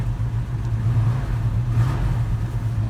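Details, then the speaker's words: 1972 Chevy C10 with non-original 350 small-block V8 from a 74-75 C10, headers, Rochester carburetor with electric choke, fuel at 6 psi, TH400: starts easily into a deep, steady, smooth V8 rumble with no knocks or misses; running normally. "go ahead and fire it up and have a listen starts really easy and smooth"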